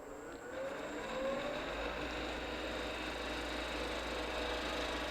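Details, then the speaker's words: Skew chisel on the lathe cutting at its sweet spot: soft, even hiss and faint whir, no chatter or squeal; nice, quiet clean cut. "See how nice and quiet that's cutting?"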